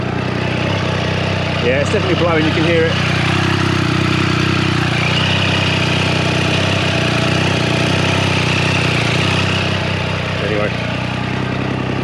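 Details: 2023/2024 Triumph Street Triple 765 RS just fitted with Spark headers, first start: steady lumpy idle with sharp puffing tick on exhaust pulses, header joints leaking before assembly paste was applied.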